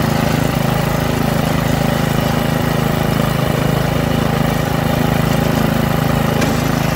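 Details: Troy-Bilt rear-tine rototiller, single-cylinder engine, after carburetor cleaning and magneto cleaning restored lost spark and carb adjustment: fast, steady, even beat with no misses or surging; running normally.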